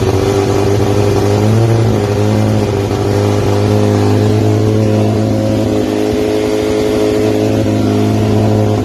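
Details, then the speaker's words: 1990 Audi Coupe Quattro drag car, GTX4508R 80 mm turbo, FuelTech ECU, after tune rebuilt from scratch: fires right up, strong steady note holding even idle with slight rev, no misfire; normal running. "i had to build a brand new tune from scratch and as soon as we did that it fired right up"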